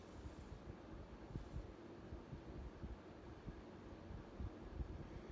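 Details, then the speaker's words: 52-inch SMC A52 variable-speed ceiling fan, late 1970s or early 1980s, cast motor housing, on highest setting forward: quiet even whoosh of air, no scratch, hiss or chatter; bearings healthy, slight wobble. "Bearings are good. Not scratchy or hissy or nothing. No chatter."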